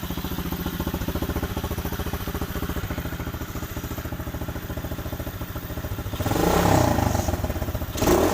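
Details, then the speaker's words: Warmed-up small four-stroke pit bike after a cleaned carb and new throttle cable, fuel filter, air filter and spark plug runs healthily: crisp, even single-cylinder idle, then clean quick revs that rise and drop back smoothly. "seems to be going really well so it goes it is warm so i expect it to go straight away"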